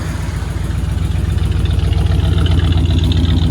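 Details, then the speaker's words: 1968 Cadillac DeVille V8, after an oil change (possibly slightly overfilled), warmed up after a rough cold start with a sticking automatic warm-up throttle; heard at the tailpipes: deep, steady, even burble at warm idle, no misses or knocks. Normal warm idle. "sounds good back here yeah"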